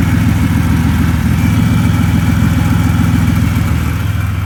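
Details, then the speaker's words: 2004 Buick Century after a custom power steering return line was fitted and refilled: steady, even idle with a smooth low rumble, no knocks or misses; some power steering pump noise while it runs through. "Now that power steering pump noise, you'll hear that for a bit."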